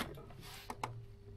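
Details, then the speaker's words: Baumatic BD45KG 4.5 kg clothes dryer on cold start after fan belt replacement: steady low mains hum with a couple of clicks, drum won't turn until spun by hand at the back; motor stalls on a nearly dead start capacitor. "It's It's trying to turn. It's humming. But if I give it a bit of a spin at the back."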